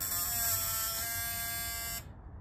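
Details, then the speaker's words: 1999 Ford F-150 4.2 V6 after fuel pump replacement, key on before first start in years: steady high electric buzz for about two seconds, then cuts off cleanly; normal fuel pump priming. "why do I hear that in the engine bay that's weird though Maybe the relay is working for the first time ever"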